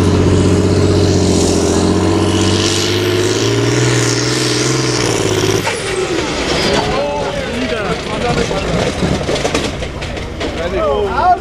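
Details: ZT 300 Spezial diesel tractor at a tractor pull: pulls hard with steady roar, then abruptly cuts into clattering uneven noise as the engine destroys itself under full load; broken piston suspected.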